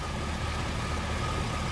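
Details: 1962 Dodge 100 first start in 25 years, idled up: rough raised idle with light tapping over low rumble on one side; owner suspects rocker arm off or bent pushrod from stuck valve, no rod knock heard.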